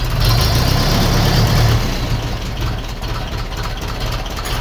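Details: 1951 Ferguson tractor after thermostat housing replacement while the throttle linkage is adjusted: deep, even chugging idle that dips slightly as throttle is backed off, steady beat, no knocks; healthy running, not leaking.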